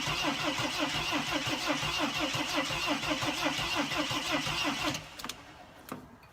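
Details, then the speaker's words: 2006 Mercedes Sprinter T1N diesel cranking with the mass airflow sensor disconnected: an even starter churn of about three beats a second for five seconds, then it stops without firing. The tank had no diesel, so it is fuel-starved; the crank sounds slightly different than before. "nothing's happening but the way it's starting it sounds to me like it's a little bit different than it was before"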